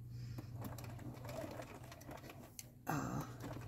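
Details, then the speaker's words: Sewing machine doing straight stitch: quiet hum with faint irregular light ticking that it doesn't normally make; owner suspects the timing is off, unconfirmed. "I think the timing's off it sounds hear that kind of ticking it not doesn't normally do that"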